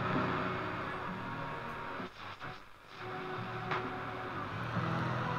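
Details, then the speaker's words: Loewe-Opta Magnet 3737W tube radio after oscillator repair, on limited power with antenna, medium wave: steady hiss and crackle with faint station tones drifting through; reception restored, though local medium-wave stations are few. "picking up something now if you've seen any of my previous videos you'll know that uh we get very little reception very few stations on medium wave"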